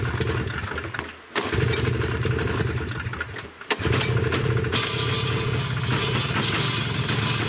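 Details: Yamaha Bravo 250 two-stroke snowmobile that bogged once warm, after carburetor cleaning with the mixture screw set 1.5 turns out: it cranks, stumbles once, then catches and runs on with a steady crackling buzz. Normal running after the carburetor cleaning.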